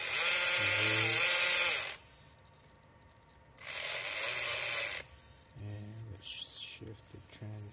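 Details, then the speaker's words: RC4WD Trail Finder 2 crawler with a new Holmes Hobbies Torque Master 540 Sport brushed motor, newly installed pinion and Tekin FXR ESC. Bursts of sharp, high whining as it drives and shifts its two-speed transmission. Gear noise is unusually loud though the mesh looks good; cause unclear. "for some reason the gear doesn't sound right to me how loud it is I don't know if it's it looks like the mesh is good so I'm gonna have to double check that"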